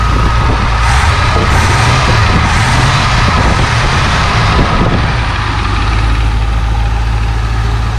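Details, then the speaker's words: 1966 Ford Thunderbird barn-find V8, after cleaning the cylinder 8 plug that had not been firing, idles with a deep, steady rumble, still slightly rough, with a faint lifter tick; all 8 cylinders now firing. "Well, with all 8 cylinders firing, she's running good again."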